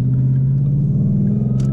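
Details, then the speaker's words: 2012 Ford Mustang Boss 302, MT82 manual transmission, cold weather after two weeks parked: deep engine drone under acceleration in first gear with a faint whine rising with rpm under load; owner believes transmission whine. "listen everybody hear the whining it goes up with rpm so it's definitely a transmission issue"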